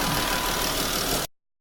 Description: Sounds like its knocking when it revs down.